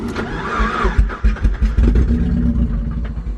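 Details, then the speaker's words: Mazda Miata NB: engine catches and settles into a rough, lumpy idle with uneven low thumps; rod knock, engine to be pulled and fixed. "it's another NB I'm pretty excited as you guys may know I used to have an NB now I have another one again it has rod nook so I got to pull the motor and fix that"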